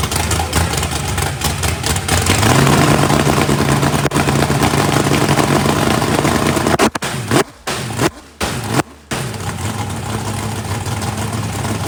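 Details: First fire-up of a 409ci small-block Chevy race engine, turbo not yet fitted, battery nearly dead, warming up: steady burbling V8 idle that picks up cleanly on blips. Runs well with good oil pressure (oil pressure spring shimmed). Normal.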